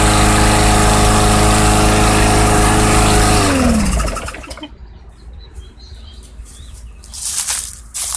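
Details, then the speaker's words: 2014 Bolens/MTD 11A-B0BL765 21-inch push mower, Briggs & Stratton 500 Series 140cc engine, after fuel tank clean-out for old fuel no-start: steady, even single-cylinder buzz about three seconds, then clean wind-down at shutoff; normal running after repair. "to be running fairly well with that tank clean out"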